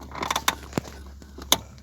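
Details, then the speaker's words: Lada Granta clutch pedal: a few short creaks and squeaks each time the pedal moves, no engine noise; squeaky pedal. "сегодня у нас речь пойдет о скрипи педали сцепления кто ездил на lada granta длительное время скорее всего сталкивался с такой неприятной вещью такой"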